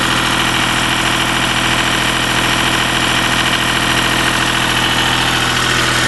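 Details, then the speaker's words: Deutz diesel engine driving a Lima generator, first start-up after repair, brought up to about 1,800 rpm: loud steady drone holding one speed with no hunting or knocks. Normal governed-speed running. "I'm going to bring the RPM up till uh what I think about 1,800 is thinking that's pretty close to 1,800 right there."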